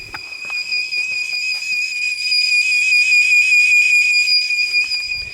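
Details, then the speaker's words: Turbo Honda Civic with newly wired ECU Master standalone ECU: single high piercing beep that holds instead of one short chirp at power-on; owner suspects something wired wrong though engine starts; ECU continuous fault beep (wiring fault). "that's what the ECU does when something's wired wrong when you first turn on the ECU it's only supposed to have like one beep not like a just shrieking beep that lasts forever"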